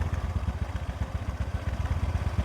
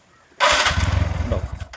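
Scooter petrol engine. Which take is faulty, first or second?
second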